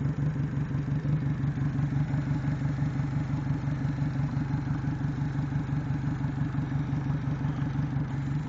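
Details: Yamaha 90 outboard with 1400 hours: low, uneven clattering idle with a lumpy beat of about three per second; it is running rough because the injectors are dirty.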